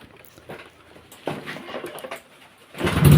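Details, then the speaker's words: Honda Vario 125 old (KZR) after CKP sensor replacement and clearing code 52 (it stalled when hot): starts easily on first crank and settles into a steady idle around 1300–1400 rpm, injector 2.3, normal. "Sudah dihidupkan, itu hidupnya gampang ya, sekali engkol juga langsung hidup."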